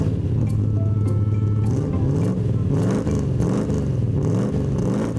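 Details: 3.5-litre V8, carburettor swapped from twin SUs to a big Holley: deep burble climbs and falls smoothly through several blips, pulling cleanly with no misfire, knock or flat spots.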